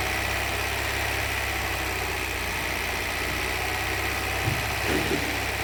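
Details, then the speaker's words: 2023 Hyundai Verna BS6 petrol automatic, also overheating and hard starting: steady idle with light, fast tak-tak tapping from the engine, confirmed as worn, loose pistons slapping, with cylinder bores cut and loose, found on teardown. "तो जो हमारा engine में से टकटक वाला sound आ रहा था वो हमारा 100% पिस्टन का साउंड था। तो यह पिस्टन पूरे टकटक कर रहे हैं।"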